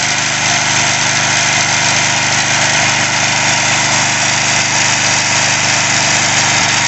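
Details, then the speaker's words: Sears Craftsman 3.5 hp edger/trimmer after carburetor cleaning, idle screw adjusted about 1 3/4 turns with a tachometer (around 3010 rpm noted); steady, even buzzing idle, no hunting or misfire, normal. "That sounds pretty good. That sounds like the sweet spot. Good idle."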